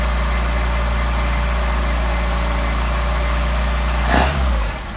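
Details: Engine with 44PHH Solex carburetors warming up unchoked. It holds a steady, even rumble, then takes a quick blip cleanly and settles back without stumbling, a nice response; healthy throttle response.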